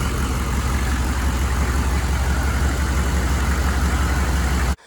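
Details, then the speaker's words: 1995 GMC 3500 HD 6.5L turbo diesel idling after injection pump replacement and timing: deep, steady low rumble, no lope or stumble; the earlier weird idle is gone, sounding like a typical 6.5. Normal idle, good hot oil pressure. "I think I mentioned in the part one video it just had a weird idle to it unlike any other six five I heard this one sounds very typical for a 6'5 exactly what it's supposed to sound like"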